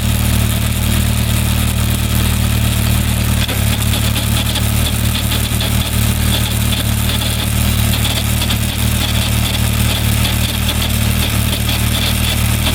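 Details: Suzuki Bandit 1200 riding in fifth gear: loud steady engine drone with uneven rough pulsing through it; strange drivetrain noise, cause unknown.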